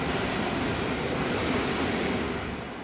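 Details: Newly installed Hiso Hu range hood fan at high speed, levels 3-4: steady loud rushing air with lots of airflow, no rattle, tick or wobble; running smoothly, normal.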